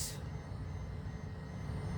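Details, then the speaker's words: Mercedes-Benz W211 E270 CDI estate Sensotronic Brake Control (SBC) deactivated via scan tool before front brake pad replacement: steady low pump and valve hum as the system depressurizes normally, actual value okay. "uh what does it call the sensotronic breaking system or being depressurized so the actual value is okay"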